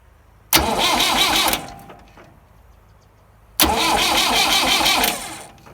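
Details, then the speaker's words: Massey Ferguson 175 diesel tractor, clutch in, neutral, after new wiring and fuel tank petcock: two one-second bursts of cranking without catching while injector lines are open to bleed air from the fuel system. "Okay, so what we should see when we go to crank this is we should see fuel coming out those injector ports."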